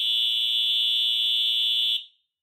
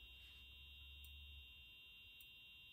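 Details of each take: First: EH-24S fire alarm horn, restored, bench-tested on a 24 V supply: loud, steady high-pitched blare, slightly raspy and stuttery, for about two seconds then cuts off cleanly; normal horn operation. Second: EH-24S alarm horn/strobe under restoration, powered from a bench supply: faint, steady high-pitched piezo tone with a soft tick about every second. The horn is barely audible but the strobe works. A capacitor is suspected to drive the sound amplification.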